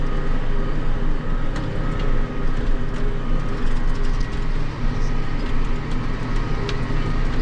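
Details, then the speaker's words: John Deere 8345R tractor diesel idling; a rod-knock-like sound at idle without throwing codes was suspected to be the fan clutch rather than the engine. Deep steady rumble, even beat, no knock. Normal idle. "I said well they won't we'll get over here and we'll see what she sounds like sitting there idling"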